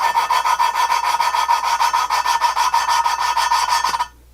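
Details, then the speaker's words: GM 823 head (LS3/L92 6.2 aluminum) valve lapping with even moderate pressure: dry rasping scrub about three strokes a second as compound grinds new valve against seat, listening for sound change; valve lapping grinding sound. "but what we're going to do is we're going to listen for the sound change. I'm applying an even pressure, but it's not like crazy amount of pressure. And you can see, well, you can hear the sound change."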